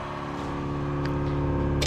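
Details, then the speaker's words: Ratty Challenger drag car with 440 engine, electric fuel pump switched on to build pressure before first start, fuel line leaking: steady droning groan at one pitch, louder than it should be; loud groaning fuel pump. "and that pump is loud loud and groany so that happened"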